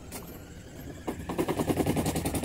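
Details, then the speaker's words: LG top-loading washer, 8.5 kg, during spin: rapid heavy regular knocking builds as drum spins up, tub wobbling off its axis; cause is a broken spider (triangle) bracket under the stainless drum. "sumber permasalahan dari mesin cuci uploading LG yang mengalami berisiknya saat Spin seperti ini sangat bisik sekali seperti ini suaranya"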